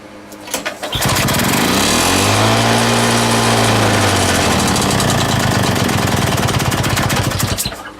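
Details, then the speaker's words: Lawn mower engine just reassembled with a homemade big-end bearing shell catches and runs but keeps wandering and surging, rough and uneven; owner hears a leak somewhere, cause not confirmed; erratic running. "I ain't running hit runs but it ain't it's not right it's all over the place"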